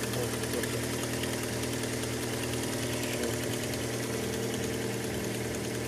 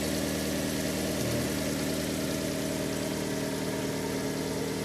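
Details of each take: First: Fiat Albea cold petrol engine just after start: quick uneven ticking knock lasting seconds to a minute until warm, worsening over 3–4 months; caused by a loose exhaust manifold, fixed by tightening it. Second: Fiat Albea petrol engine after repair idles smoothly with no knock; the cold-start knocking was caused by a loose exhaust manifold, two end studs loose and one lower stud missing, fixed by tightening.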